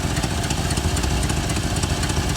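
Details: 1988 Chevrolet Suburban 2500, V8 (believed 5.7 L), first start after six years' storage, smelling of fuel: sharp rapid ticking puffs timed with the lumpy idle from a broken, blowing exhaust header.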